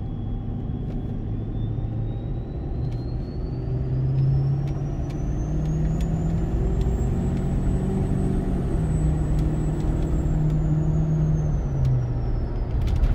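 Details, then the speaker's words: Ford 6.7 Powerstroke with MPD compound turbo kit, heard in the cab with windows up, accelerating uphill to 43 psi boost: a deep diesel rumble with a clean whistle climbing steadily, then easing off; normal spool. "it is non-stop whistle in the cab some people might think that gets annoying but for me i hardly use the radio anymore it's just all turbo noise"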